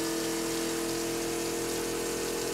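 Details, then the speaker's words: Camper van sink water pump running after the water is turned on with the tank filled: steady electric motor hum with a constant mid-pitched whine over rushing water, no surging or rattle; the pump runs normally and stops when shut off. "And all we do is turn on the water. You hear the pump kick"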